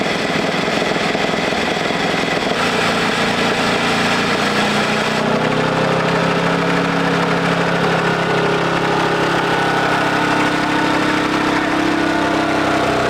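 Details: 1941 Caterpillar dozer, sat for a few years: engine holds an even, low idle chug of about three beats a second and runs smoothly; pushing the control forward shuts it down, so it will only idle.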